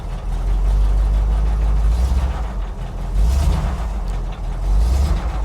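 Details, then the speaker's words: Cold idle of a newly bought Jeep FSJ J-10 on a freezing day: deep, loping idle that swells and dips every second or so, not holding steady; owner says the carb needs adjustment and the choke may need hooking up. "Like I said, carb could use some adjust adjustments. This one might need the choke hooked up, but it is, like I said, freezing cold out."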